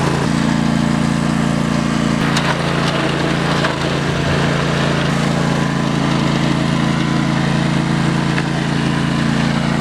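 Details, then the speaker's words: Trail mower build with a new carburetor and starter solenoid: the small single-cylinder engine runs low and rough, its beat rising and sagging unevenly at about three pulses a second. Owner suspects it is not getting enough fuel. Engine lope at low rpm. "she seems to shift good runs good has a little bit of like kind of sounds like a a lope at low rpm so i'm kind of thinking it's not getting fuel as"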